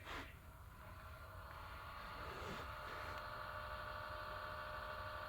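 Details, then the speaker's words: Xbox One S console at power-on: steady high whirring whine with faint rough edge at constant pitch; worn internal fan getting loud, to be replaced with a new fan. "This fan is starting to get really loud and obnoxious."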